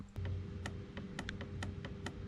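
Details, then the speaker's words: Turbo 3.0L M52 BMW E30: faint sharp ticks about four or five a second over a low hum; boost control solenoid clicking normally once the boost controller was taken out, after not clicking before. "I don't know if you guys can hear that, but it's clicking now."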